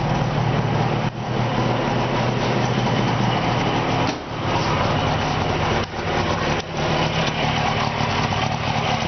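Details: 1970 Subaru 350 small two-cylinder engine after rebuild, strange noise traced to a loose pulley: steady, even, buzzy idle on both cylinders with no knocks or rattles.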